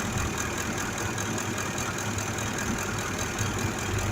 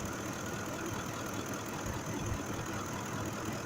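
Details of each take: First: 2005 Ford F-150 5.4 V8 idling with a cylinder 2 misfire: low uneven loping idle with irregular dull thumps; misfire from faulty cylinder 2 fuel injector. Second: 2005 Ford F-150 5.4L V8 with a cylinder 2 misfire from a mechanical injector fault, after replacing the number 2 injector: steady even idle with soft uniform hum, no stumble or miss, now running smoothly.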